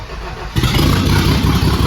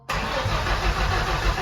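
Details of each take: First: Turbo-swapped 1989 Thunderbird Super Coupe on a Holley Terminator X base calibration, F-150 crank/cam sensors, LS coils/injectors, coolant 95°, 12.2 V with alternator unhooked, IAC 83%: brief crank catches, settles into a steady rumbling idle, no misses or knocks. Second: Turbo-swapped 1989 Ford Thunderbird Super Coupe, 5-speed manual, newly wired Holley Terminator X ECU: steady cranking churn that never fires; ECU shows code 7, cam error, so cam sensor issue.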